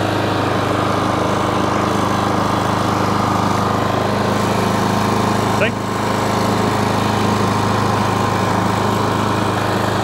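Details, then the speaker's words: Self-propelled lawn mower after its drive cable was adjusted at the brass collar. The small single-cylinder engine chugs steadily but slightly unevenly with no load change, and the carb wants a bit of a tune; carburettor out of tune. "Carb wants a bit of a tune as well."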